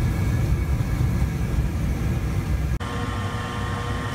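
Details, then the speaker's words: White Rodgers Intelli-Vent water heater with igniter rod and flame sensor, troubleshooting no hot water: inducer fan clicks on to purge exhaust gases before ignition; low whir settling into a smooth even hum, no scraping or rattle, fan working normally. "the easiest thing to check here is this fan unit so first you want to hear that fan unit click on so what that's doing is that's kind of purging the area of any exhaust gasses that are still in there before it lights the ignition"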